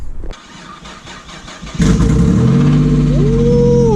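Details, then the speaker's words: Non-running project car first start after battery hookup: catches after a wait, fast idle with light quick tick; owner thinks hydraulic tappets, not bottom end; suspected exhaust blow, little noise from rear. "by the looks of it and sounds of it it don't seem like it's the bottom end seems like it's the hydraulic tap it"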